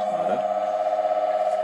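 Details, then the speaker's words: Rebuilt ATB three-phase induction motor run single-phase with 30 µF capacitor, after new bearings pressed on: steady mid-pitched hum, smooth even pulse, no grinding or squeal; running normally, quieter than with old bearings. "the motor was a little bit noisier with the old bearings than with the new ones"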